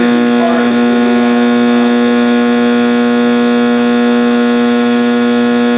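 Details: 1960s General Electric black-and-white TV, back off, warming up after rewiring: a loud, steady hum with a sharp, unchanging howl from the speaker; owner suspects an internal capacitor, unconfirmed.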